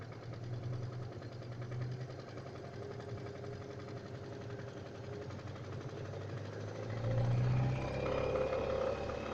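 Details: Engine knock on a 491GW engine: steady idle with a regular light tapping riding over it at roughly four per second; knock present, cause unclear.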